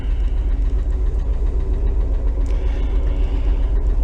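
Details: 1968 VW Double Cab truck, restoration started then stored several years in a tent garage: steady idle with light regular tick about four per second from a hydraulic (not mechanically adjusted) lifter not pumping up; common on these, replacement lifter already fitted.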